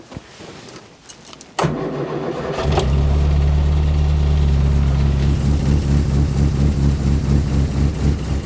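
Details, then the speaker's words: 1970 Morris Minor Traveller first start after SU carburettor rebuild, before adjustment: short crank, catches and settles into lumpy idle with uneven pulsing beat; rough running, carb still to be adjusted. "well she might not sounded too good but she started so let's see if we can get her running a little bit better"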